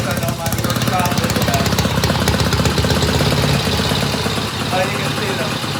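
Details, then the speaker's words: 1972 Norton Commando Combat twin idling evenly after fitting a new 3-phase rotor and stator charging system and cleaning the clutch plates; healthy steady beat with a light metallic rattle said to come from the stator. Normal idle. "And that noise we're hearing is just the rattling on the Stator."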